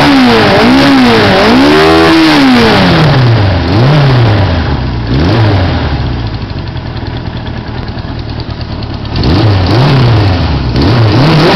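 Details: 1980 Suzuki GS550E four-cylinder with Wiseco 12.5:1 pistons, Wiseco cam, 603cc, rejetted carbs and GS650GT exhaust, second start after rebuild: crisp blips from a steady idle, pulling evenly with no misses or knocking; healthy.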